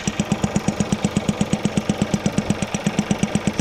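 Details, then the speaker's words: Seat Leon FR petrol engine at idle, reported for a squeaking belt noise: fast, even pumping pulse with a light tick each beat, a strange pumping noise. Traced to a broken fuel evap pipe. "that's a very strange noise that one all right so it was off so there you go guys that a strange pumping noise"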